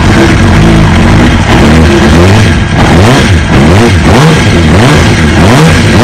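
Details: 2005 Kawasaki ZX-6R 636cc fuel-injected engine from a wrecked bike, in neutral, oil half-full: repeated quick blips rise and fall cleanly from a steady idle; the four-cylinder sounds healthy.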